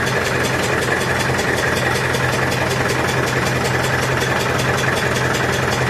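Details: Massey Ferguson 65 diesel tractor after battery replacement, fast idle during alternator test: steady even clatter at constant speed, no misses or hunting; voltage about 13.2 easing to 12.9–13, alternator charging; normal fast idle.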